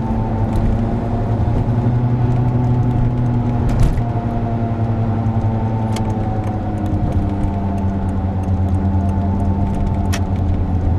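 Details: 22-year-old car with 150,000 km, driving: steady droning roar under road noise, pitch rising and falling proportionally with vehicle speed; worn wheel bearing.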